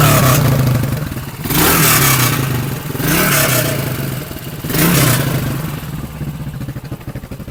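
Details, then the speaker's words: 1976-style Yamaha XT500 with stainless replica exhaust at stationary idle: three sharp rev blips then loping thumping idle with tinny, loose clatter like a tin of sardines; replica exhaust rattling, reportedly lacks original internal piping. "As you can hear, it sounds like a tin of sardines. It's got a rattle."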